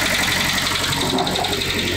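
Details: Kia Sportage, G4KD petrol engine, 97,000 km, idling cold: quick, even knocking over the running noise; endoscopy showed scored cylinder walls, likely from repeated overheating, needing block sleeving.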